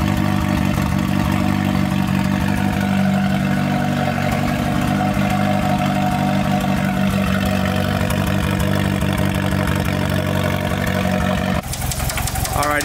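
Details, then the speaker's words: 2G GSX at cold start; rough, uneven rhythmic knocking under the low rumble, about four a second, from a rod knock; engine block to be swapped for a spare. "so the owner back car has a rod nut that card has a rod knock so he brought me this spare plot"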